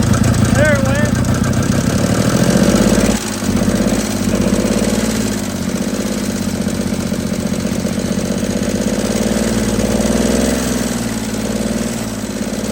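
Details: 1950 DeSoto Custom club coupe, sitting since fall 2019, restarted on a temporary fuel tank line to the carburetor. Low idle chugs unevenly at about four beats a second, rhythm wandering and dipping; rough idle, not very smooth.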